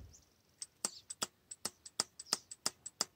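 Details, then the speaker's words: Purge solenoid valve bench-tested with battery voltage applied to its terminals: sharp light ticks about three a second with no drag or buzz, a normal audible click showing the solenoid works. "plan a battery voltage to the purge valve terminals and see if it produces an audible click yep we can hear the solenoid is clicking"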